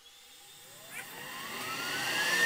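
Whining tones climb smoothly as the motors spin up to speed, with no rubbing or grinding. They sound healthy and turn freely.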